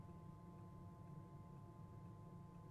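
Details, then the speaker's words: Chinese diesel heater on a narrowboat, running on setting one with the mic close to the outlet: steady low whoosh of air through the duct with a faint even hum, no knocks or rattles, warm air flowing. Running normally. "It's kind of just like an air going through a duct noise."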